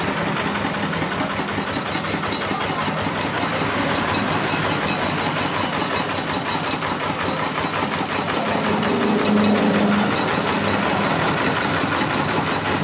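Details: RD 85 Series S single-cylinder diesel tractor engine that had lost power, idling after repair with damaged parts replaced; even chugging idle with the usual light clatter and no heavy knock, running fine.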